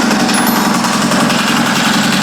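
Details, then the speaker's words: Custom land-speed bike with 20-year-old 998cc turbo Ducati engine, after refuelling and fuel-system priming before Bonneville: loud, fast, even idle chatter, no misses or surging; running cleanly. "So, we'll just give it a quick start, let it idle for a couple minutes, and we'll call it good."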